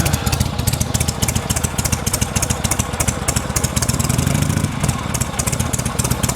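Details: Vintage V-twin, kick-started after return spring tension fixed: steady loping thump at low idle, deep and even with no knocks or misses while warming; healthy.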